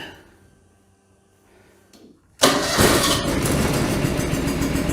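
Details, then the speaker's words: John Deere 445 mower twin, 1068 hours, left plug wire removed so it runs on the right cylinder alone: catches at once and holds a steady, even beat, firing normally. "yep good to go on both cylinders"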